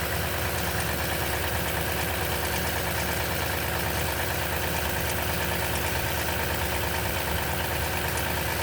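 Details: Steady cold-start idle on a 2010 Toyota Tundra with 165k miles and 5,500-mile oil changes all its life: a busy metallic chatter over the engine note, possibly timing chain rattle.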